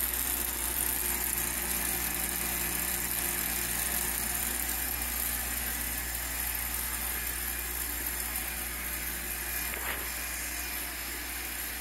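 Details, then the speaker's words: 1908 Spencer Turbine central vacuum after restoration, at full speed: steady even rushing roar with constant low hum, no knocks or surges, excellent suction and airflow; normal running. "quite pleasantly surprised to see that the the machine came up to full speed and then ran smoothly At Last I could say that this thing was working again with excellent suction and airf flow"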